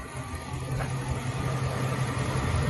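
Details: 1998 Ram 1500 V8 Magnum with a crank-no-start (no spark, no fuel) after replacing the cam and crank sensors, rotor and cap: it catches and settles into a steady, even low rumble with no misses or knocks; normal idle.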